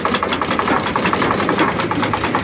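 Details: Sewing machine after tightening the loose part that let the balance wheel spin without moving the needle: quick even clatter about eight strokes a second, steady rhythm; needle mechanism driving normally again.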